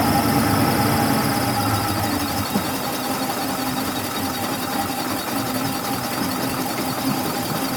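Engine runs steadily with a thin, constant high-pitched whine riding over it that holds its pitch; the source is not yet identified.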